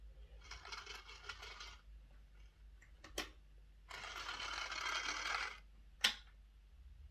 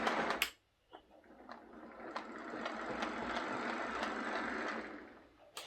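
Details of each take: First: Lima Class J50 model after a CD motor conversion and extra pickups, on the test track with the body refitted: three short runs of a harsh, rattly buzz. The motor is screwed in flat, sitting too far in, so the pinion rubs the bearing. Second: Lima Class 156 DMU model after a CD motor conversion, running past the camera with a soft, even motor whir and light rail clicks, at steady speed without stalls or stutter. The model runs normally.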